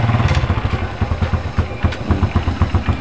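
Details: Honda Revo Absolute motorcycle whose regulator/rectifier (kiprok) had died, causing stalling: steady, even low putter at idle with a smooth beat, no misses or knocks. Normal idle.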